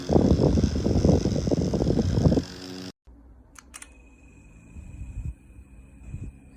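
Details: JISULIFE handheld fan with 4500 mAh powerbank: fast, uneven rattling, roughly three to four hits a second, over the motor hum before it drops away; something is loose inside the fan.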